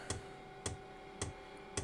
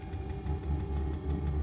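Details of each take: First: Diesel heater newly installed in a shed and fed from a 5-gallon tank, on first start with the fuel line unprimed: five sharp beeps about half a second apart, then a steady tone; an out-of-fuel error code. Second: Diesel heater in a shed on a 5-gallon tank, just after priming the fuel line: steady low burner rumble, constant fan hum and faint fuel-pump ticking as warm air comes out; lit and running normally.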